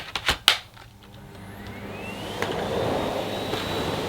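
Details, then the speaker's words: Vacuum on minimum suction: a few clunks, then soft even motor whir rising to a steady low hum, very quiet; normal running, though not deep cleaning at this level. "It is very quiet on minimum as well. I could use this fairly late at night if I just wanted a a quick rip round."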